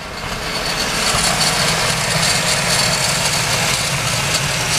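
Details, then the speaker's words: Mazda RX-7 FD Type RS rotary after replacing a broken 15 A fuse: the secondary air pump now runs, a steady rushing whir over the still rough, backfiring idle. A metallic noise seems to come from the belt area. "the air pump's going. The motor's still doing its whole rough idle thing and backfiring, but at least we're somewhere now. The air pump is now working."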